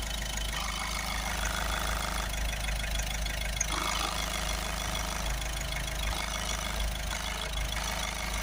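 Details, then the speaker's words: Ford Transit Connect 1.5 diesel van idling after boost leak repair and DPF cleaning: steady low rumble with a light, uneven metallic rattle from a loose component, quietened with a cable tie. "Put a cable tie around that to make it quieten down. So that's it, much better. So that would have really annoyed me if I owned this. You could hear it miles away rattling."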